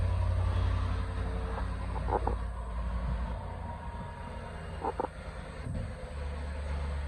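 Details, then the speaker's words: 2010 Land Rover LR4 5.0 V8 at idle after TCM and valve body swap: low, even rumble with no knocks or ticking; engine runs healthy. "So you can hear it's running really good. Sounds good."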